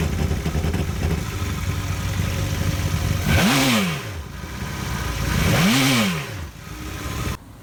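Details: Yamaha 242 jet boat engine idles roughly, then two quick revs rise and fall with the beat staying uneven and stumbling. This is consistent with a misfire.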